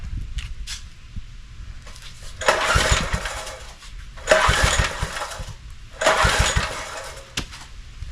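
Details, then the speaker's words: Neglected John Deere tiller, new spark plug fitted, choke closed and throttle fully open: three pull-start bursts that spin without catching. Plug is wet, so fuel is arriving; owner suspects not enough air. "all right I know I'm getting fuel in there it's wet yeah spark plugs defitely wet the new one that we put in there it's getting fuel maybe not enough air"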